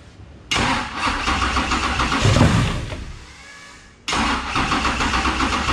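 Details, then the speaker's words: 10.3L supercharged big-block Camaro with Holley electronics, holding 170° temperature, idle mixture about 14.6 AFR: engine fires, revs up, sags, dies within seconds and is restarted. The lean idle makes it run away and surge unevenly. "what happened was we had the idle pretty lean like right like 14 6 which is pretty standard for an idle on a gas scale car well james was like dude it sounds freaking it's just running away and on a carburetor it runs away when it's lean like this"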